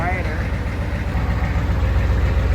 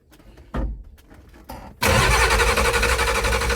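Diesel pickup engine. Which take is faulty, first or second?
second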